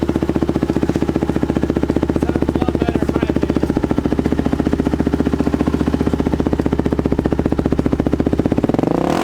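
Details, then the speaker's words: 500cc Polaris-powered Chevy pickup Power Wheels after packing the empty exhaust to quiet it; a fast, even, crisp popping beat holds steady under throttle and falls away, a snappy healthy exhaust note. "she is snappy yup she sounds good"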